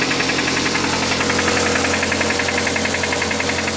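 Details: Suzuki Aerio at steady idle with a sharp, regular deep knock at about ninety-odd per minute, pointing to rod knock from a worn rod bearing.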